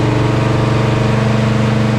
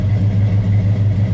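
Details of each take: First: Chevelle with unrebuilt 402 big block V8 on a dyno during tuning: loud, held flat at high revs with a steady stutter about four times a second, will not rev past 5,200 rpm; cause unknown. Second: Chevelle 402 big block, not rebuilt, heads rebuilt, on dyno before tune: deep, steady idle with an even, choppy cam lope pulsing several times a second; runs healthy and smooth.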